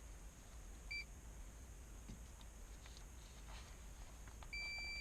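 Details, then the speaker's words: Nissan Altima airbag warning light, multimeter continuity test between driver airbag wire 28 (lime green, positive) and wire 30 (yellow, ground): quick beep then longer steady tone shows a short between them, likely damaged harness. "Do you hear that? So this is the evidence that is shortening between the 28 and 30. Yeah, this should not happen."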